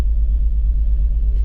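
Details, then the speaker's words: 2004 BMW X3 3.0L at idle: low rumble with a slightly uneven, stumbling beat. Scanner codes P0301 and DME cylinder 1 misfire/firing confirm a cylinder 1 misfire. "they said I had a misfire so I cycle this off cyle back on see if it misfires it feels like it's misfiring um"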